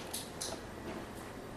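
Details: LG power supply board EAY60968801 (50PK750/50PK540/50PK550/50PX950/50PK990 plasma TVs): sharp relay clicks, two close together then a fainter one. The TV flashes briefly as if starting, then stays off; a power supply fault is suspected, not confirmed.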